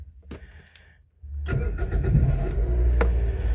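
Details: 2005 Toyota Vios manual, in neutral for an electrical check: a brief crank, then the engine catches cleanly and settles to a steady, even idle with no knocks or misses; starts fine.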